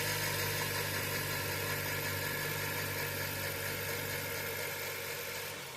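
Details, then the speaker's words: Honda CR-V with P0341/P0366 codes, cold start after sitting: engine idles with a busy, uneven rattle about three beats a second over the running note; stretched timing chain was the noise source. "as you can see in the pictures that the chain was stretched uh and it looks like that's where all the noise was coming from"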